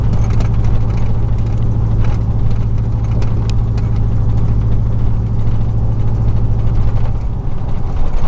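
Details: 2000 Chevy truck, 4.8 V8, four coils deliberately unplugged, driving and climbing; deep lumpy uneven loping drone under road noise; misfire, running on four cylinders.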